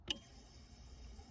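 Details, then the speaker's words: Citroën Xantia Activa V6 ES9J4 (194 hp) with a no-start because the fuel pump gets no power: with wire 3 tested directly, the relay gives a sharp click and the pump whirs. An ECU fault or a ground issue is suspected. "le relais claque et la pompe tourne."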